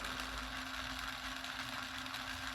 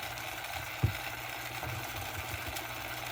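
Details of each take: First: Old vehicle radio cassette deck, transport running: steady motor hum with a faint constant tone around 250 Hz and no drag or wow. The mechanism pulls the tape with good tension and torque. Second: Cheap vehicle radio cassette deck, direction button not working: thin, fast whir with one sharp click as the tape runs far too fast. Owner suspects stuck buttons leave it stuck in rewind, possibly also upsetting the radio.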